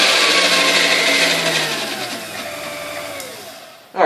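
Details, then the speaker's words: Dormeyer 4200 Food Fixer mixer, first plug-in before restoration: whirring motor with a high whine, noisy at speed, falling in pitch as it spins down. Owner suspects lack of lubrication; the cause is not confirmed. "does run as expected I mean I want to expect anything less but um you can hear noise as it gets up in speed which is most likely lack of lubrication"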